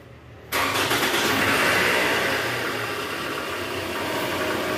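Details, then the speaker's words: Toyota Estima 2AZ-FE at cold start with AC on and in gear, revved: a loud, coarse idle with a "tak tak" knocking from the oil pan area, attributed to a worn balancer shaft. "Nah itu guys, suaranya kasar banget ya. Nah. Suaranya kasar, ada bunyi tak tak tak tak tak tak tak tak."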